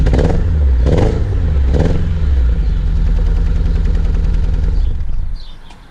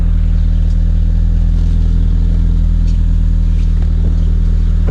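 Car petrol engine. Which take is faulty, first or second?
first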